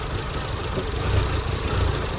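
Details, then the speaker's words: Audi A4 1.8T idling cold during thermostat replacement, being warmed to pull coolant through: uneven, lumpy rumble stumbling now and then; rough idle, owner suspects coils or plugs, possibly throttle body. "yeah she's definitely not running right it sounds like coils or plugs now"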